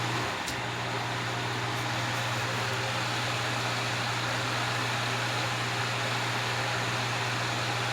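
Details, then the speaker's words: Vintage Wizard hassock fan with motor transplanted from a Mainstays box fan, on medium, only slightly slower than high: smooth steady hum and even airy rush, no rattle, wobble or vibration; normal running. "Medium really isn't that much slower than high. It's a tad bit slower. It's still putting out that breeze."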